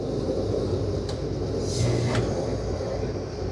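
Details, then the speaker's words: 3.5-ton home A/C set to cool with a Micro-Air EasyStart newly installed for solar-powered running, house already 69°F; a couple of soft clicks, then a steady low hum without hard clunk or stall, normal compressor start. "We're gonna set it to cool. Inside the house it's 69 degrees already, so we don't really need this, but let's see what happens. Well, it turned on."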